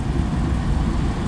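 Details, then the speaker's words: Restaurant kitchen AC unit restarted after resetting a tripped duct smoke detector; heavy low rumbling drone with uneven shake as the whole blower shakes the unit. Found very loose belt and worn, grooved pulleys. "this thing's vibrating all over the place looks like there's something wrong with the belt the whole blower is simply shaking the whole unit that's not good"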